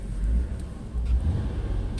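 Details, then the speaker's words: 2000 Ford Taurus, 145,000 miles, after replacing the broken motor mount that caused a strange dash noise; inside the cabin only a soft low engine hum, no knocking or metal contact, mount rubber centered. Quiet cabin, normal engine mount. "oh yeah that's what it was listen to that you can't even hear anything hardly"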